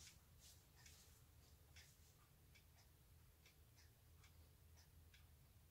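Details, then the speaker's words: Hermle 451-050H clock movement, deadbeat escapement, during beat adjustment (error cut from 80% to about 20%): soft ticking about two per second with slightly unequal tick-tock gaps; still a little out of beat. "a minor adjustment here to the pendulum b it sounds a whole lot better than what it did when it's 80 error but still isn't quite far enough the pendulum swing and impulse is still longer on this side than it is the other ever so slightly"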